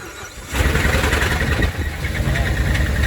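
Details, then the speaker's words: Dodge Ram Hemi V8 catches and settles into uneven idle with light tapping; Hemi tick from bad camshaft and lifters, same problem on a 2009 Ram and a 2010 Ram Sport, to be fixed by cam and lifter replacement or engine swap. "we've got a dodge ram this is a 2009 and it's got the hemi tick it's got a bad cam bad lifters and then we got a 2010 dodge ram sport also with the same problem"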